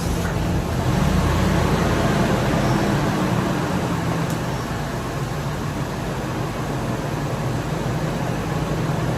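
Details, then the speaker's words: 1998 Ford Expedition V8 at idle, about 151,000 miles, chasing P0401/P0402/P1401 codes: EGR valve held open by vacuum makes the idle turn lumpy and loping as exhaust gas floods the intake, confirming the EGR valve works. "You kind of hear how the motor just gets all of that. So you know the EGR valve is opened up correctly because it's flooding that intake with those exhaust gases."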